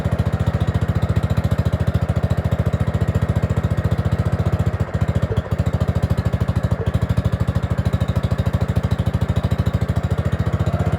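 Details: Gravely 5665 freshly fitted with a China carburetor (after a 15hp carb was tried), air cleaner on: a rapid, pulsing single-cylinder thump of about three beats a second with occasional stumbles runs only on choke. Lean running is suspected from an air leak and an oversized carb.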